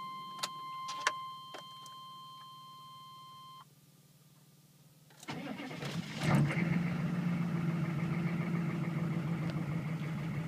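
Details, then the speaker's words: OBDII 6.5 diesel (1996–2000) cold start after chimes; it catches within a second and settles into a steady, even cold idle with no knocks. High idle switches wired to ECM pins give 1070, roughly 1350 or 1600 rpm. Normal cold idle. "now the first one is 1070 the next one is 1350 I believe and then if you hit them both you get 1600"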